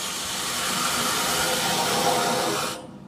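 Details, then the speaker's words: Residential sprinkler system being de-winterized, main valve opened slowly: a steady rushing hiss of water as the system fills, then it tapers off. This is normal; if it never shuts off, something is open. "so you you want to listen now it's going to run while it fills fills up the system and eventually you'll hear it shut off if it doesn't shut off then there's something open somewhere"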